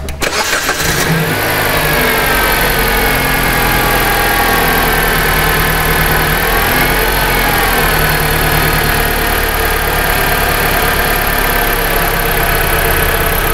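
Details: 2010 Jeep Patriot, unfixable stalling after many shops and the dealership, with cylinders 1 and 4 coils just swapped for known-good and new units: engine cranks, catches and revs, then idle sags and falters and stalls again; fault persists.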